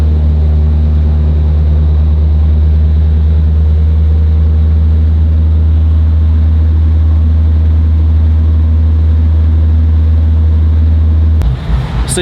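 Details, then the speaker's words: Chevrolet SS sedan while cruising, worn rear tires: heavy steady low drone and shaking rumble from the rear; bad vibration, owner plans new rears and front balancing. "guys got a glimpse of what currently goes on with the SS it vibrates pretty bad"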